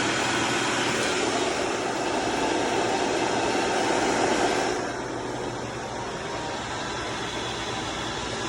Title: BMW N55 535i XDRIVE ATC 35L TRANSFER CASE GRINDING NOISE INPUT SHAFT BEARING